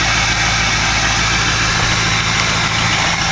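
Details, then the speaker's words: 2004 Ford 6.0 Power Stroke diesel, cold start without block heater after glow plug cycle: steady even clatter and smooth low rumble, no misses or knocks, little white steam from atomized fuel; normal cold-start idle. "That's normal. Just atomize fuel. You're going to get that little bit of white steam like that."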